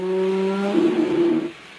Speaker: customer States when he closed the sliding door it sounds like a cow